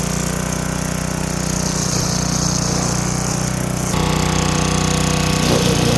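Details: Craftsman wheeled weed wacker, two-stroke, found dirty, missing its spark plug and sat for an unknown time; now running with a new plug, cleaned carb, fresh gas and choke off. Steady, even buzz while cutting weeds, no bogging or misfire; healthy.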